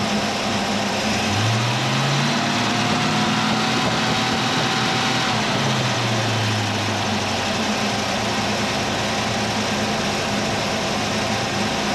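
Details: 351 Cleveland V8 in a 1979 Mercury Capri, idling after the stuck distributor was freed and timing reset (about 10° initial, 32 all in) for hot hard-starting: loud steady idle, even low rumble, no misses or ticking, holds speed smoothly; normal idle.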